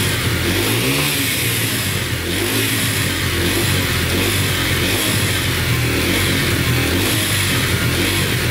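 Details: Yamaha TTR125 dirt bike (believed 2003) after top and bottom end rebuild, following running it out of oil; crisp single revving up and down repeatedly, no ticking or rattles; runs and sounds really good.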